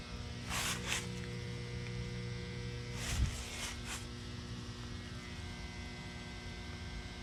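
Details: Electrical box in the woods of a Grayslake, Illinois neighborhood gives a steady low mains hum with fixed-pitch overtones, unchanging, over faint outdoor noise; the cause is unknown.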